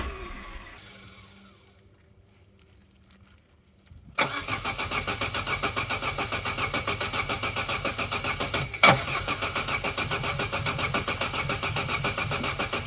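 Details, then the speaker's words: Corsa B that sat neglected 4-5 years, camera under car watching for fuel drips while cranking after fresh fuel poured in: steady, even cranking for several seconds, never fires. Cranks but no start. "I'm gonna do is try and put the camera under here and give this a crank and we'll see if any droplets come down"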